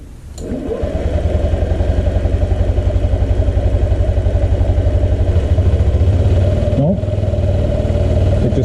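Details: 2005 Honda Metropolitan scooter that would not start, after its bad fuel pump and fuel filter were replaced: it cranks, catches within a second and settles into a steady, even putter of about four beats a second. Normal start and idle.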